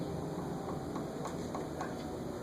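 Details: Antique Westinghouse Sidewinder ceiling fan on a solid-state speed control at reduced speed, about 1.8–2 amps: steady low electrical motor buzz under its hum.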